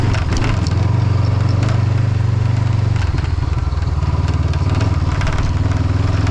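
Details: Motorcycle riding on a road in Norway: engine drone with irregular light rattling and buzzing from the windshield, which is loose because a mounting screw was lost. Loose windshield rattle.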